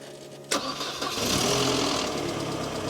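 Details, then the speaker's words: Crank-no-start: starter spins engine at steady rhythm but never fires; owner suspects failed fuel pump or fuel pump solenoid, or car immobilised itself; unconfirmed. "Have a feeling it may have done 202 things and the fuel pump may have give up."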